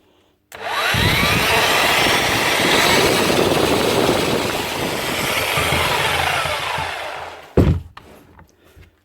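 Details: Bosch GRW 11 E mixing drill, after the customer blamed the lead or switch but only new brushes were needed: motor spins up fast and holds a steady, smooth whirr for about seven seconds, then coasts down; runs healthy.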